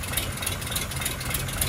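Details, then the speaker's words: Low, steady, smooth idle with a soft even pulse and faint ticking on a Daimler wedding limousine parked since 1990, just started for the first time in 32 years, in neutral in a cold garage, possibly running on the carb. "Did I do it? Or is that just running off the carb? I think I did it."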